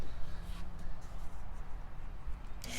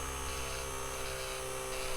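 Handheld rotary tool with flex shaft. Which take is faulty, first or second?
first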